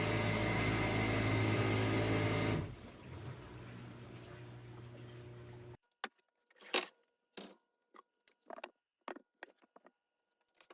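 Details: Older Maytag Performa dishwasher running with a loud, rough grinding roar that drops away, followed by clicks and handling knocks; the grinding noise has an easy fix.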